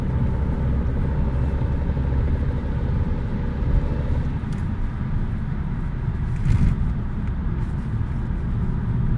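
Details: VW Passat B6: a deep engine rumble with a fluttering, buzzing mid-pitched tone heard when the accelerator is pressed, fading out as the throttle changes. The owner asks what the problem is.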